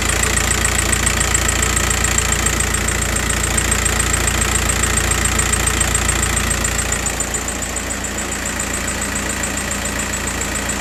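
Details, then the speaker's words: Diesel idle with a regular knocking beat about 3.5 a second, going uneven then easing. The injector pin 7 signal is sometimes missing while pin 5 is checked. The noise comes and goes; intermittent misfire. "Now this is pen five signal and also you can clearly see some bad noise coming from the vehicle. Just hold on. I'm going to show you. This noise sometimes disappear and sometime comes back."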